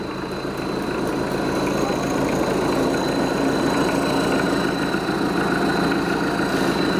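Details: Mitsubishi 4D56 diesel just overhauled after compression failure following a turbo install, warming up with oil pressure 2 bar at 1,000–1,500 rpm; steady, even idle with a soft regular clatter and no knocks: normal idle.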